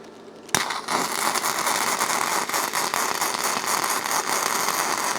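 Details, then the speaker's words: YesWelder flux-core welder, setting turned down to 120: steady, even frying crackle with no surging; the earlier pulsing effect is gone and the welding arc runs smoothly. "Yeah, that sounds a little better. It doesn't have that pulsing effect."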